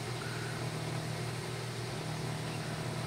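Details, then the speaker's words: Nissan Grand Livina that misfired with the MIL on, after an improvised fix for an ignition coil leaking spark to the engine block and the codes cleared: steady, even exhaust burble at idle with no stumble, now idling smoothly. "bagian koilnya nih sekarang sudah halus lagi enggak ada suara pincang berebet enggak ada ya"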